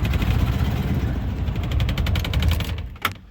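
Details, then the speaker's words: 1987 Ford F150 302 V8, automatic C6, 4x4, after new distributor cap and plug wires refitted: heavy irregular chuffing with no steady beat until it stalls, because the wires were set to the HO 302 firing order instead of the standard one; misfire. "Got the firing order wrong. Okay, I swapped them. I had it uh I was using the firing order for a HO 302."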